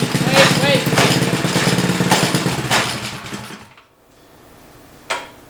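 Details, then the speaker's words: DIY C8 Corvette widebody Power Wheels kart with real small engine, first drive; engine revving with irregular sharp clunks every second or so; chain jumping the sprocket teeth because the master link was installed backwards. "maybe that little bit office getting that I think it is I think it's trying to jump yeah okay I see it"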